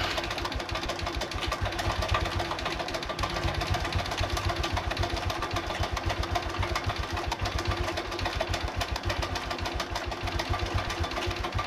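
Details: Honda Revo Absolute motorcycle idling with fast, uneven metallic tek-tek/kletek clatter and pinking over a lumpy single-cylinder idle; cause given as worn cam chain and piston, engine previously opened; cam chain rattle and piston slap.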